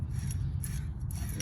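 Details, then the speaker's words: 2000 Dodge Stratus AC compressor pulley turned by hand: rough, gritty grinding that binds; pulley bearing is shot and needs replacing. "now you can see here is the ac pump i should be able to get a better hold on it oh yeah you can hear how that grinds real bad"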